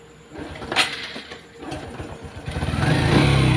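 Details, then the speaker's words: Honda XRM 125 Fi after engine overhaul for knocking, started in neutral with ignition wired direct: single cylinder fires and revs cleanly to a steady drone, no knocking; engine sounds healthy now. "Pero paparinig ko sa inyo yung andar ng kanyang makina."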